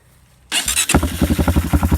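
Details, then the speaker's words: Bike after carburetor repair: catches after brief crank and runs with about eight uneven pulsing beats a second, bogging when given gas; owner suspects something in the air box, cause unconfirmed. "Don't know why it's bogging out like that, so if anybody in the comments can comment, let me know why it's bogging out like that when you give it gas."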